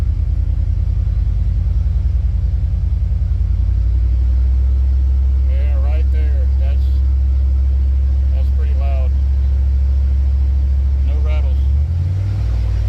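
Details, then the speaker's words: 1989 Chevrolet Silverado OBS with a modified exhaust and added sound deadening, throttle held in the droning rev range: deep steady rumble with no buzzing or rattling; after the deadening fix, no rattle. "I think we're good there no rattles at all I'm happy about that because it is annoying on"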